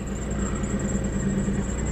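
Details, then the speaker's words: Chevy Malibu (about 49,000–50,000 miles) at auction, just after starting right up, no engine light: steady idle with a thin, high, constant low belt squeak over it, typical of a slipping drive belt. "Low belt squeak. No engine light."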